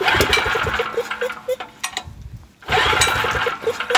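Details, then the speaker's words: Homelite LR4300 generator with a 7.5 hp Robin Subaru EY28 engine after a carburetor rebuild, fresh 91 octane fuel. Pops unevenly and falters: it runs on choke and dies off choke. The plug was found wet, so a fouled BPR6HS plug is suspected, not fuel. "the generator fired up and ran on choke and when I took it off a choke it died now I don't think it's a fueling issue because I pulled the plug and the plug is wet"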